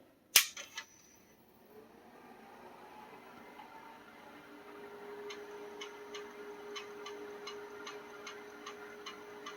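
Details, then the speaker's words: Amiga powered on after battery corrosion work and battery removal, Shadow of the Beast disk inserted: quiet steady hum with crisp regular ticks about three a second as the floppy drive steps and reads. Healthy boot, disk loads. "I hear the disk drive's going. Now, Lord only knows if these discs still work."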